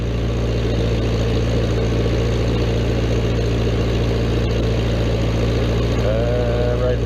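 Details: Old Vermeer 665A stump grinder engine running at a speed set by the plunger-type speed adjuster, steady even low drone with a smooth firing beat, no knocks or misses; normal running.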